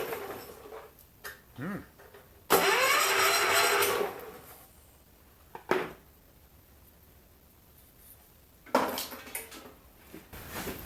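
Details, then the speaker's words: Mid-70s John Deere 110 garden tractor, hot-wired via test light at the points: short cranking burst then silence, never fires; no spark, smoke seen, turns over with apparent compression, cause still under investigation. "well she's no sparking I don't know why we'll have to do a little investigating there but she turns over sounds like it's got a compression"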